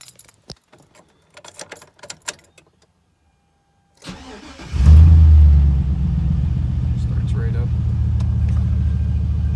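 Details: 2001 GMC Sierra after a crank-no-start was fixed with new spark plugs and plug wires: brief crank, engine catches at once and settles into a steady, even low idle. Normal start and idle.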